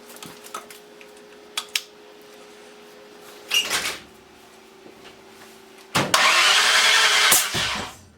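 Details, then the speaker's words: Ford 302 engine with a new cam, after moving the plug wires: cranking broken by a short cough, fires barely a second and a half and dies; rough firing, owner suspects timing 180° out, unconfirmed. "Why is it doing that? I don't know. I don't like it. Something's not right."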